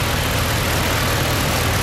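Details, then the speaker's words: Holden SS Commodore 6.0 V8 after DOD lifter replacement and heads refitted, previously clattery: even, steady idle with smooth low rumble and no ticking or clatter; lifters quiet; normal idle. "pretty quiet now. It was all clattery before, and she goes."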